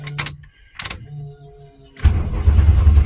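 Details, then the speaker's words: Old van woken after long storage, fuel pump run first and pedal pumped; a few short rattles, then a brief crank before the engine catches and settles into a steady, even run; normal start. "Turns over. Will it run? Well, of course it will."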